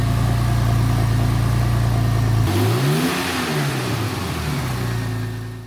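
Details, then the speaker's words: Porsche 996 Turbo fired up from cold: smooth, even idle with a steady low hum after a brief blip, no ticking from lifters and no abnormal turbo whistle. Normal, healthy cold start idle. "So, as you heard in that clip, this is really nice and smooth. No real noises from the turbos that are, you know, abnormal and yeah, just idles nicely. No noise from any lifters and stuff like that."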